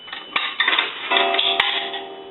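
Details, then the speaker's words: Automatic Electric three-slot payphone after repair and conversion, coin validator checked: a quarter rattles in, then a single clear gong rings out and decays, the normal one-gong signal for a quarter. "so we want to go ahead and take a quarter and that will gong one time"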